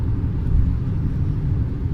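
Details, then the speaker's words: Geely Atlas on bumpy road, left-side suspension knock previously felt: steady low road rumble over small bumps, no clunks or rattles; the knock has disappeared, service suggested it was due to snow. "В общем стук в подвески пропал с левой стороны пробовал по кочкам"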